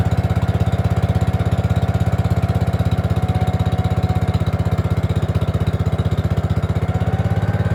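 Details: Gravely 5665 freshly fitted with a China carburetor (after a 15hp carb was tried), air cleaner on: single-cylinder chugging at about four beats a second holds only on part choke. Lean running is suspected from an air leak and an oversized carb.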